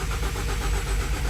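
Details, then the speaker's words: 2016 Ford Fusion after engine replacement, crank no start: gauge shows fuel, no codes stored; starter spins the engine evenly but it never fires. Owner reported it ran briefly then stalled; cause later traced to an electrical fault using a scope. "So, you see we got gauge shows fuel, but if we take and push the button, it's just going to spin over and not run."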